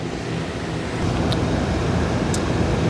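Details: Dometic RV air conditioner, 15,000 BTU, on a 3200 W starting / 2900 W running generator, after installing hard start capacitor 3310727.015 that stopped surge-protector trips at startup: a steady, even whoosh of fan and compressor with no knocking or stalling; normal running.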